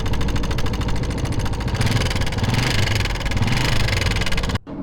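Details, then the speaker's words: Motorcycle with a small single that ran out of engine oil: fast metallic tapping over the idle from the valve train; the tappet cover showed the tappet plate broken on one side due to oil starvation. "इस bike में engine oil खत्म हो चुका था जिसकी वजह से engine में से आवाज पैदा हो चुकी है टपट कवर को हमने उठाया उठाने के बाद यह देखें यह टपट पट्टी एक साइड से टूट चुकी है ऑयल ना मिलने की वजह से"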